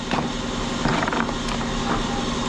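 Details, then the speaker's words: Lexus LS400 idling with long-standing belt-area noise, sometimes louder than others: rough, scratchy bearing rasp over the belt drive that swells and fades; worn idler pulley bearing, belt, tensioner and idler to be replaced. "so yeah y'all can hear that noise pretty loud right sometimes it's louder than other times"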